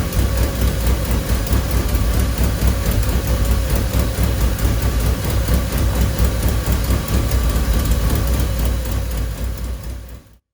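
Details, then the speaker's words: Freshly started home-built Celica GT-Four engine, hand-fuelled and likely rich, no exhaust manifold gaskets fitted: chugs unevenly with a deep, lumpy, misfiring pulse; owner suspects old fuel left in the tank. "So my theory is the old fuel that's still in the tank is being fed up to the engine. The engine's trying to run off it, but it's a bit lumpy."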